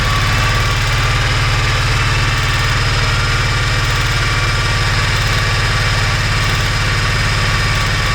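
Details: Kawasaki Mule 3010 after replacing the fuel pump (the OEM pump failed and a replacement fitted in 2013); idling on choke with a steady low chug and even firing, with the pump audible. Confirmed fix; normal idle.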